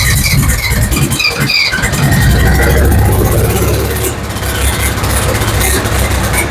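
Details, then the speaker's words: Ford 7000 diesel tractor, first run after a timing fix following a failed no-start: low, uneven diesel clatter catches and keeps running rough but steady, with heavy exhaust smoke indoors; normal running after start. "I'd call that a win. Except for, that's a lot of smoke."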